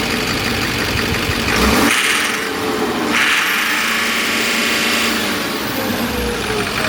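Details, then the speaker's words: Duramax 6.6 diesel truck that came in hunting, surging and struggling to idle with MAF circuit codes; with the mass airflow sensor unplugged (base fuel mapping), throttle blips rise fairly cleanly without coughing but stumble slightly at the top end. "she revs pretty good without coughing and farting. But not quite perfect."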